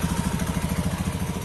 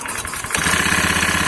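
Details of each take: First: Honda Beat FI ESP injection automatic scooter idling after CVT repair with cover closed: quick, even putter with no knocking, rattle or grinding from belt side; smoother than before, normal idle. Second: Honda Beat FI ESP injection scooter with weak, heavy pull and vibration at the rear; engine catches and idles with a fast, coarse metallic rattle riding on the beat, traced to worn rollers and roller housing in the front CVT pulley.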